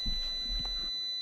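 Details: IBM 5155: in continuity mode, the multimeter gives a steady, unbroken beep on ISA slot pin 9, the +12 V rail, while a working IBM card shows no short there; the short points to a capacitor on the 12 V rail as the likely cause.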